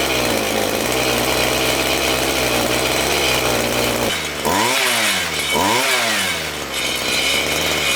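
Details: Homelite 26cc two-stroke mini tiller, after sitting outdoors for years, after carburetor and fuel tank gum cleaning and fresh fuel: buzzy engine runs steadily, revs up twice and drops back cleanly without bogging or stalling; now running properly.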